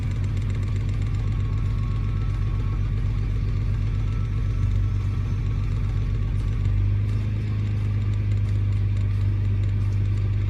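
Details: Nissan R32 GTR engine idling rough on startup: low, slightly uneven idle whose note shifts partway through; brake cleaner spray revealed a vacuum leak near cylinder 6 intake manifold and throttle body.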